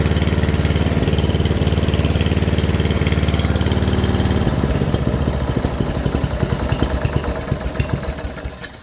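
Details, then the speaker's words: Free single-cylinder riding mower, just fitted with a new fuel line and a cleaned tank, started off a jumper box and a little chokey: it was reluctant to idle at first, then settles into a slow, even low thump. Normal idle. "she don't want to idle but she runs freaking right boys all right that's a good sign"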